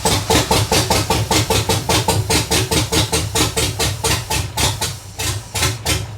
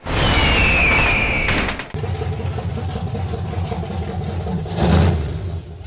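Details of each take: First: BMW swapped with a 6.0 L V8, after adding an extra ground: heavy uneven tractor-like chuffing about two and a half lopes a second, firing on only a few cylinders. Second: BMW fitted with a 6.0-liter American V8, after replacing bad injectors: strong throaty rev dropping cleanly into a deep, even burble with no misses, firing on all eight cylinders.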